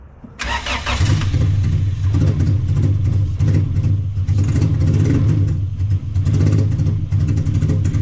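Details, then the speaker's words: Junkyard car after some gas was added, oversized injectors on a stock ECU, cold night: catches and idles low with uneven lumpy chop and unsettled pulses, misfire-like; owner suspects injector/ECU mismatch, stock injector swap planned. "Those big ass injectors with a stock ECU, man. Sounds like Tazzy's wagon all cammed and chopped out."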